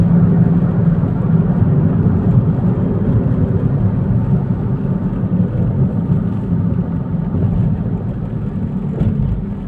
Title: why the humming sound in car while driving